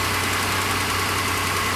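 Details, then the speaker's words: 2006 Ford Escape 3.0L DOHC Duratec V6 at a junkyard, hood open: fast, light ticking over a steady idle with a hissy edge. Possibly a slight exhaust leak, not confirmed; otherwise the engine runs sweet. "we've got a three liter v6 which sounds like it has a tick from an exhaust leak I don't know how big that is to fix but it sounds like it's got a slight exhaust leak"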